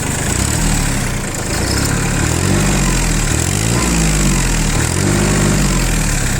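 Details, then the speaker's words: Shibaura P21F mini-tractor, 3-cylinder diesel, 1210 engine hours: picks up cleanly through throttle blips and settles back, running evenly with no misses, knocks or smoke; healthy throttle response. "работает двигатель, отлично реагирует на газ. Работает ровно, без нареканий, не дымит, никаких проблем нет."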